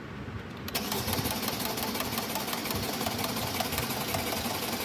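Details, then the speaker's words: 2012 Mercedes-Benz E63 cranks but won't start: steady starter cranking about three turns a second, never firing; no fuel reaching the pressure test point despite 20% shown on the gauge, fuel pump to be checked. "तो ये जैसे कि आपने देखा ये crank हो रहा है और स्टार्ट नहीं हो रहा है।"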